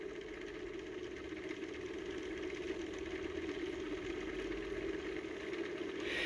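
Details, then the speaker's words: Small home-built Hall-sensor-driven magnet motor at its sweet spot: steady even mid-pitched whir rising slightly as it picks up speed; normal running, transistor warm and needs a heatsink. "yeah that seems to be the sweet spot right there yeah it's really speeding up now"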